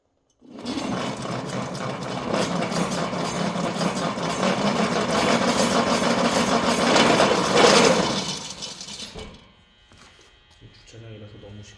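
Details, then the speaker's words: SMD Bike V7 electric bike hub motor at 896 km, wheel spun up but not at full speed due to noise: harsh gritty grinding roar then coast-down; owner suspects failed planetary gears, similar to a previous planetary gear failure. "시끄러워서 풀로는 못 돌리고 어 약간 지금이 정도 굉음이 발생되고 있습니다 그 뚱튜브 형리 퀄리 투어 모델 예 유성기어 나갔을 때랑 지금 비슷한 증상이죠"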